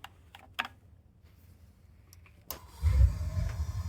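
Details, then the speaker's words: 75-gallon water heater after replacing a leaking connection hose: a few faint clicks, then a soft whoomp into a steady low roar as the burner flame ignites normally. "you hear that that was the sound of the flame igniting"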